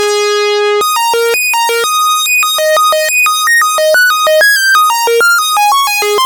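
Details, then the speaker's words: 1974 Minimoog after restoration: clean stable notes through a melody with filter and oscillators combined, no crackle, dropout or drift; filter and oscillators sound solid, working properly. "so you hear how great that filter sounds how good the oscillator sound everything's very solid in this unit now"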